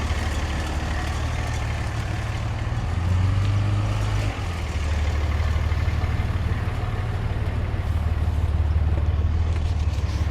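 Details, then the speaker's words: Cummins diesel pickup idling with a loose, uneven rattle from a shredded serpentine belt, which failed on the way to work the day after another shop replaced the power steering pump. "I can hear it rattling. Apparently, the shop replaced the power steering pump."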